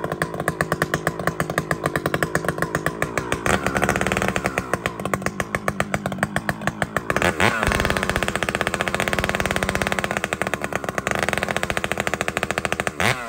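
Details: Chainsaw (a 395) with 3/8 chain cutting a cedar log holds a steady high throttle but lugs slowly through the wood; chain rakers set too high, so the chain won't bite.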